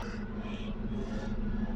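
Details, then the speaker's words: Chevrolet Grand Vitara J20A engine at idle, heard at the rear exhaust after fixing the cylinder 3 misfire caused by a faulty cable: a steady, even burble with no skips or shaking. The earlier vibration and shaking are gone. "no sé si lo escuchan ahí tranquilamente ya no tiene esa vibración"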